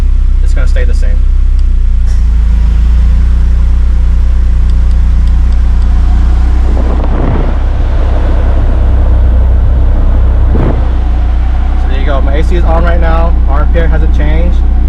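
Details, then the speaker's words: Honda S2000 K-swap without idle air control valve, cold start idle about 800–900 rpm with A/C switched on: deep, steady idle holding speed with no hunting or dips; engine fine, idle stays consistent under A/C load. "Stays consistent. Engine's happy."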